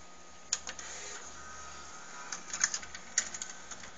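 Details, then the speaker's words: Laserdisc player with one large laserdisc tray: irregular mechanical clicks and clacks over a quiet hum as the tray moves and the mechanism flips the laser heads; noisy but normal. "really noisy as you can hear the mechanism flips the laser heads such and this ridiculously large tray for laserdiscs"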